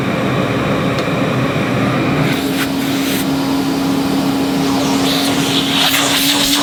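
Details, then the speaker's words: 1977 Hoover 427 cylinder vacuum cleaner, near mint, switched on cold from a cold garage: steady motor hum with constant mid-pitch tone and airflow rush, no grinding or knocking; runs normally, expected to purr better once warmed up. "not too bad I think she'll Pur a little bit better when she's warmed up a bit"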